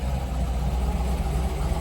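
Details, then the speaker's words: C5 Corvette Z06 back running after repairs, RPM gauge not working: deep, steady V8 idle with even firing and no knocks or misses; normal idle. "It is what it is. Sounds good though."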